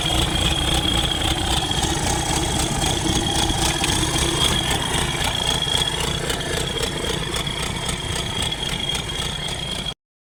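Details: Newly overhauled Isuzu 4BD1 diesel during break-in, starter wired manually with added grounds after earlier no-start: settles into a steady, even idle with regular clatter, no misses or hunting; running normally.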